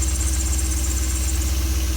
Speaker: so you can see when i sprayed the belt in question for a second it changed noise and i sprayed the inside of the rib and it stopped that tells me it is a belt and it is this belt